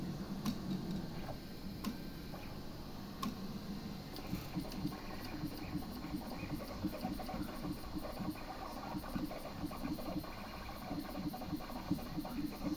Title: The printer makes a ticking noise but doesn't print anything.